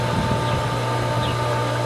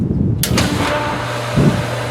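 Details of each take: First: Pool pump on its first run of the 2022 season: a steady low drone with a constant motor tone and an even rush of water. It is now primed, with water flowing in and out, and running normally. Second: Pool pump on its first start of the 2022 season: a switch click, then a steady low motor hum with a light rush of water but no water drawn in yet. The pump is not primed; more water may need adding.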